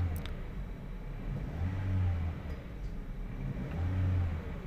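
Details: 2017 Toyota Vios 1NR with a cylinder 3 misfire, after the ignition coil was replaced: two clean rev swells from a low rumble with no miss. Normal revving.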